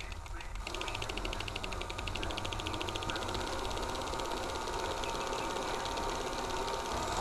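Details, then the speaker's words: Hi8/digital camcorder tape with moisture damage and mold being wound by hand-tensioned transport: quick, uneven crackling ticks over the motor hum as stuck tape layers peel apart; sticky tape syndrome, not yet shedding. "we haven't shed yet but it's trying so the tension that I'm putting on this hand here it's really slowing it down and it's causing this to kind of have more tension on it and it's really helping it not rip"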